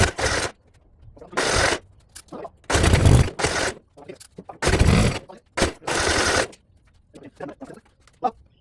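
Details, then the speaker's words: 1972 Gravely 816 with Kohler Command 18, after oil was added and before carb modification: repeated cranking bursts with occasional weak pops between long pauses, never catches or runs. The carbs are said to be problematic. "Well, now what's your excuse for not popping off?"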